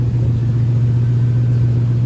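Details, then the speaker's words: 1972 El Camino LS V8 with newly welded passenger-side exhaust bolted to headers with a connecting part (possibly the gasket) missing: loud deep steady rumble with raw unmuffled edge; exhaust leak at the header joint from the missing part. "it's not going to sound as great because like I said the exhaust sleep but it's better than nothing"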